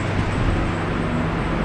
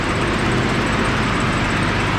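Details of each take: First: R31 Nissan Skyline TI petrol engine after an exhaust leak repair idles with a steady, even low hum, with no puffing and only the typical lifter tick remaining. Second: Nissan R31 Skyline TI petrol engine idling after exhaust leak repair: steady idle with a faint, quick light ticking, typical hydraulic lifter tick; exhaust leak gone, runs smooth.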